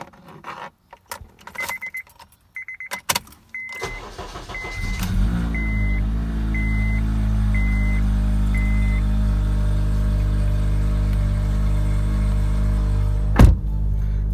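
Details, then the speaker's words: Honda K24Z3 K-series engine just after DIY valve adjustment and new OEM valve cover gasket, first start, not yet warmed: chimes, then smooth even idle with no valve ticking; sounds healthy. "Go outside, make sure there's no ticking in the valve. Sounds good."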